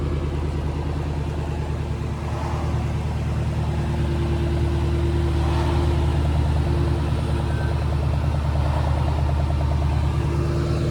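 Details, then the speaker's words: 2014 Shelby GT500 Mustang with Borla axle-back exhaust, backing out of garage: burbling V8 idle with a pulsating whoosh every few seconds from the heat exchanger fans; owner suspected serpentine belt, but it is normal fan pulsing. "It does like a pulsating whoosh every few seconds, like the fans, they do this pulsating whoosh, and you'll hear it as he's backing out of the garage."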